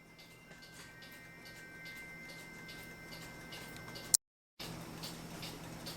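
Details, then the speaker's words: Vintage United swinging bell clock after waxing the bell's wood block and oiling the movement: faint soft ticking over quiet room hum, no squeak; quiet normal running. "so here we go no more squeak don't hear the clock running that's what most people want"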